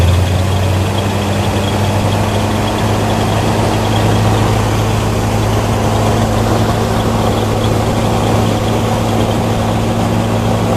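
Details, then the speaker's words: 1972 El Camino with a 502 big-block just swapped in for the original 454, first start: deep, steady idle with an even rumble and no misses, knocks or ticks; normal idle. "very happy start it up and it sounds really good"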